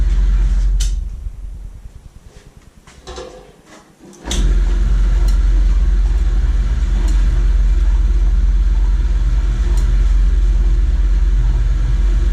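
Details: RIDGID 945.1468R saw after fabricating a new blade guide from round stock and a nut (belt previously fell off at switch-on): after a dip, motor settles into deep, steady, even hum, no clatter or slap; normal running.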